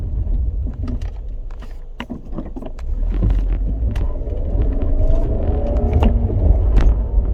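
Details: 2007 Scion tC: a rough rumbling grind with irregular scraping clicks, building as the car picks up speed; source not pinned down.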